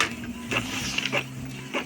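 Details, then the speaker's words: Epson L3150 inkjet after head cleaning, printing colour test pages: short, crisp carriage passes and paper-feed whirrs in regular pattern, no clicking or grinding; normal printing. "Ну что, запускаем цветную картинку тестовую на печать. Думаю, будет все с ним хорошо."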